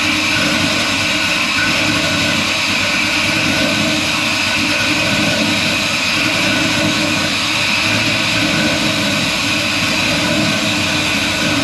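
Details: Restomod 1964 Ford F100 with a 6.0 L96 LS V8 and Holley Hi-Ram, on a just-built mandrel-bent exhaust with H-pipe and Flowmaster 40-style mufflers: steady, deep V8 rumble, smooth and even, with no ticks, rattles or leaks; engine and new exhaust sound healthy.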